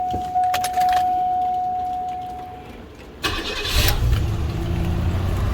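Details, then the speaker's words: 1994 Cadillac DeVille after power steering pump and lines replacement, rainy: chime, quick crank, V8 catches and settles to even idle with no power steering whine; repair fixed the whine. "so as you hear there's no wind anything on there and pop the hood on it so it's real quiet sound like what the cal exposed sound nice and quiet ain't gonna be noisy you know"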